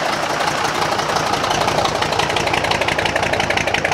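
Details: Restored marinised Gardner 5LW diesel on test with a temporary starter: even beat of about three firing pulses a second, no knocks or misses; healthy slow-running normal idle.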